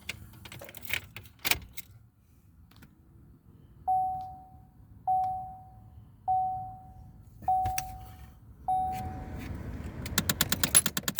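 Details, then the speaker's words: 2009 Chevrolet Impala, one blend door actuator replaced, cabin quiet: five sharp ringing clicks about 1.2 s apart from the other-side blend door actuator skipping on stripped gears. "we've got that one in and we have one on the other side clicking now so i'll get back to that after we go to a wedding"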